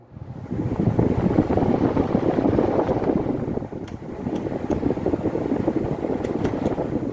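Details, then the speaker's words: Britânia fan after its shaft bushings were swapped for rubber-sealed bearings set centred in epoxy putty: a smooth, steady airflow rush with no rattle, tick or bearing growl, normal quiet running. "ficou bem silencioso pessoal como vocês estão vendo aqui ó você fazendo dessa forma que eu fiz ficar tudo alinhadinho ali não deixar a vibração no eixo é usar o rolamento com a vedação dele ali de borracha ele fica silencioso"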